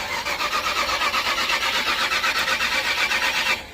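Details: Old Ford Club Wagon being jump-started at night after adding gas and charging battery, fuel back at the filter; starter grinds over about four turns a second for roughly 3.5 seconds without firing, crank no start.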